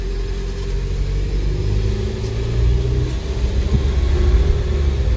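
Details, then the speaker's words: Ford EcoSport Titanium dual-clutch automatic on a road drive after repair with two new transmission parts: engine pulls steadily from low revs without jolts or flare between gears; normal smooth dual-clutch shifting. "Wis halus pindahnya."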